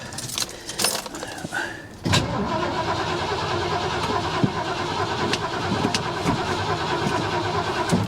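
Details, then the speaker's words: Vehicle that sat almost 10 years, jump-started just to verify cranking: clicks and rattles, then even, steady cranking that never fires; starter spins engine well, fuel pump presumed dead after sitting, so no start. Normal cranking. "That's good, man. She cranks. Got your RPMs right here."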